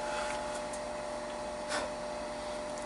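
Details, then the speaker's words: Bell & Gossett LR20BF booster circulator pump on a natural gas furnace heating system, right after oiling with Mobil 1 5W-30 (unoiled for five years): steady, even airy hiss, low-frequency hum/drone gone; running smooth and quiet. "Wow. Huge difference immediately. Look at that. Wow. Fixed it."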